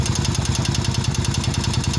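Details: Italika Vento 250 motorcycle engine at idle: a hard, even knock about eight times a second under sharp metallic clatter. The mechanic first suspected the timing chain or tensioner, but teardown found a damaged connecting rod and crankshaft.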